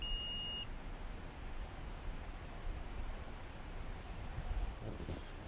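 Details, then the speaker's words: Allis-Chalmers D17 tractor no-start: a multimeter continuity check from a ground point near the starter gives a steady high beep for about half a second over hiss, so the cable has continuity and is good. "that is also good so our wires from the battery to the starter are good"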